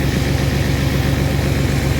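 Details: 1997 Chevy Astro van that sat three years, started easily despite no power to the starter, brake fluid leaking and smoking on the hot exhaust: steady, even idle with regular low pulse, no knocks or misses; runs smoothly.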